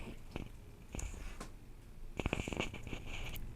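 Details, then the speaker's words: Fans in a PCZZOI H3 ATX PC case, sped up in MSI Center to make the noise audible; quiet whir broken by rapid machine-gun-like bursts of sharp clicks; fan clicking, cause not identified. "Can you not hear that? It's like a rapid fire machine gun."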